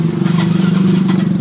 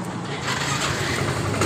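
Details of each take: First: Yamaha Mio M3 125: electric starter keeps spinning with a steady buzzing whir and fast flutter, engine not firing, even with the ignition key off; starter relay stuck, and tapping the relay stops it. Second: Yamaha Mio M3 125 whose electric starter kept running with key off, after fixing the sticking starter relay: starter engages briefly, engine catches into an even run, no continuous starter whir; healthy start.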